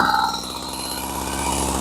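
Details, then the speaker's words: Husqvarna 40 chainsaw, two-stroke, during idle screw adjustment; buzzes at fast steady idle well above normal tick-over, idle set too high so chain would keep spinning. "Yeah, that's way too fast. That's faster. That's slower."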